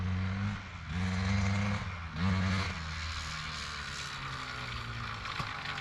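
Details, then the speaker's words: 2003 Honda CR250R two-stroke dirt bike after idle adjustment: note climbs then sags and falls back without reaching high revs, loaded up and bogging; owner suspects carb needs re-jetting, unconfirmed. "Seems like it's uh loaded up pretty good. Doesn't really want to get into the um high RPMs."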